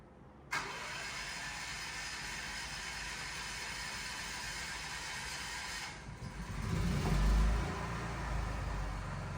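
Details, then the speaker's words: Normal cold start of a standby generator, remotely started after about two weeks unused while on mains: quick start after a short crank, then a steady, even low drone as load transfers; healthy cold start. "there you go load is transferred over that started pretty quickly considering the thing hasn't been started in probably two weeks or so so it's definitely cold generator is running anyways"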